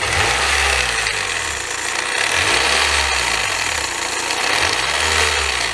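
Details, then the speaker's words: 2002 Honda Civic Si EP3, K20A3 engine: loud metallic rattle and chatter, pulsing about once a second, also audible in the cabin at 70 mph; the belt is sloppy and the pulley is seen moving; worn belt idler pulley suspected. "rattling like crazy again it's like rattling so bad I can hear it in the car while I'm on the interstate"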